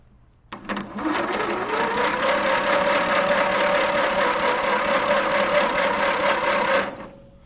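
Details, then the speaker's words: Mastercraft race tractor, previously possibly stuck, with spark plug removed and two-stroke oil put down the cylinder, on a weak battery: slow, even starter whir turning over freely without catching; slow cranking from low battery power. "I put some of that down the cylinder and it's turning over reasonably well as you can hear slow but reasonably well"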